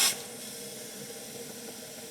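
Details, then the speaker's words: 1954 International R110 pickup, parked since 1968 and not run in 57 years, not turning over: soft steady hiss as compressed air leaks back out of one cylinder past its open intake valve; exhaust suspected plugged by mice. "I'm guessing the intake is open or the exhaust. Probably the intake. And it's going through the intake blowing out that cylinder cuz the intake valve is open on that one. That's definitely tied to the intake."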